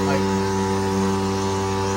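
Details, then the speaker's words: Jandy Pro Series Flow Pro 2.0 pool pump motor before repair, at start-up: a loud, steady humming drone from the motor and filter housing with fixed tones and no knocking; the owner suspects a worn motor bearing, and replacing it later cured the noise. "so basically I've done some research and it looks like it's a bad bearing so I'm going to go ahead and take this out and this assemble it and try to find the exact bearings so I can go ahead and place those"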